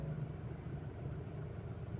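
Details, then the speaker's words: 2021 Ford Ranger Raptor diesel restarted after about 10 seconds off, shaking on start even when warm: low idle rumble with uneven, wavering pulse; rough idle, mechanic suspects fuel supply pressure problem (fuel pump, relay) before injectors. "Ayan nanginginig na naman."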